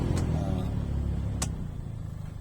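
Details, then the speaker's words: Maruti Alto with AC on, blower switched on: loud steady low booming hum with faint scraping; paper or debris fallen inside the blower motor, or possibly a clogged cooling coil; blower later removed and cleaned. "അപ്പൊ ഈ sound എന്താന്ന് വെച്ച് കഴിഞ്ഞാൽ നമ്മുടെ blower motor ഉണ്ടല്ലോ blower മോട്ടറിനകത്തേക്ക് പേപ്പറോ കാര്യങ്ങളോ വീണു കഴിഞ്ഞാൽ ഈ സൗണ്ട് വരും"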